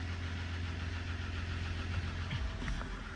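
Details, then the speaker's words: Dodge 1500 diesel pickup at auction, listed mechanical damage, just started; even low diesel rumble with steady rhythmic clatter, no irregular knocks; oil pressure mid-gauge; sounds like a normal diesel idle. "I don't really know how these are supposed to sound to me that sounds like a diesel normal diesel"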